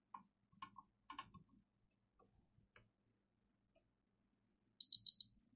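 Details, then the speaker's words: Random PS5 disc-edition console board on the bench, liquid metal spilled, powered up to check current draw and boot sequence: after handling clicks, three quick high-pitched beeps, the triple beep of death indicating a corrupted BIOS. "haha well that's going to be an easy one it's a triple beep of death it's a corrupted boyos look well that's not exactly hard is it"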